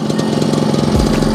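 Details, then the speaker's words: Yamaha RX King two-stroke that came in weak, powerless and very rough from past botched work, after a total engine rebuild and reassembly, first start: quick, regular popping idle with no extra knocks or rattles; running normally. "ini sudah dipasang pasangi tinggal kita bunyikan ya ya ini kita bunyikan"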